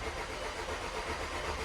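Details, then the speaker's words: 2009 VW Tiguan TSI, after repair of a loud engine noise (owner suspected timing chains), cranking to prime the fuel system after reassembly: steady even churning crank, not yet firing; it then starts, much better than before. "Oh, we got the key in here. Prime up this fuel system. Get some fuel, baby."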